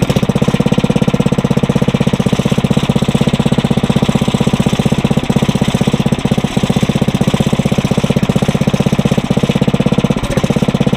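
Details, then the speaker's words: Briggs & Stratton 900 series engine, used about 2 hours a year, oil unchanged for a long time, just cold-started on choke on the first pull after cold nights; even single-cylinder thump about four a second, no misses or knocks. Normal idle. "That's actually a first to have that thing start up on the first pull. It must have been from when I was testing it, to make sure it wasn't locked up."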